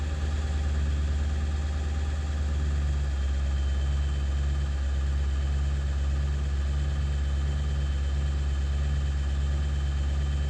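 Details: 7.3 diesel at idle after ICP sensor replacement, still not running great: a deep drone with a slightly lumpy, uneven beat underneath; rough idle, cause not clear.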